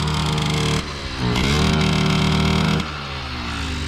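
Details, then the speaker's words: 1979 Yamaha QT50 moped, sat 35 years, with a new battery and carburetor, ridden wide open: small two-stroke buzzes up, then dips and sags before dropping to a rough idle; owner suspects it is flooded or lean. Engine bogging under throttle. "now she's probably needing some toning you know she feels sounds like she's bogging down maybe flooded maybe lean"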